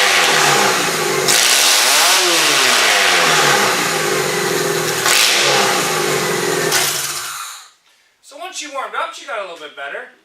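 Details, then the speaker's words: Toyota engine started on QuickStart starting fluid with spark and timing set, runs loud and rough with lumpy uneven pulses and no smooth beat; owner suspects not all cylinders firing, some plugs junk. Suspected misfire. "okay that's really loud so what it sounds like to me is it's not firing on all plugs it sounds like some of the plugs are probably junk"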